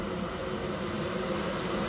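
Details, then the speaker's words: Boiler after replacing the old-type ignition electrodes, now firing with burner light on: steady even fan whoosh increasing in speed, smooth hum with no rattles; normal boiler fan running. "you can hear the fan increasing"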